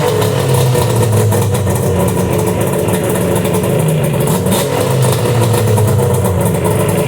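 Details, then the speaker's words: 1997 Yamaha Vmax SX 700 two-stroke snowmobile, first start after 2 years in storage, choke on, plugs pulled beforehand: crisp, even two-stroke burble at fast idle, no misses or knocks; runs cleanly. "so there you have it guys man does that ever work out nice starting them that way especially on these two strokes"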